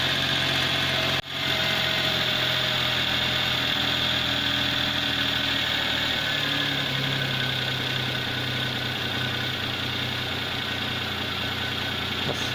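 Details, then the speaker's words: 1999 Daewoo Matiz 796cc petrol, 88,000 miles, warmed up with new exhaust: small engine settles to a steady, even idle with faint exhaust buzz and no misses; normal warm idle, sounds more appropriate than the high cold idle. "sounds a bit more appropriate."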